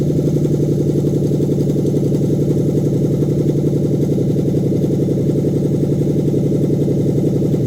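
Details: Steady, even idle with a smooth regular pulse, about four a second, no stumble or knock on a Lexus 3UZ-FE V8 in a 2013 Scion FR-S swap, new standalone manual-configuration harness test run after fuel was added; sound running engine.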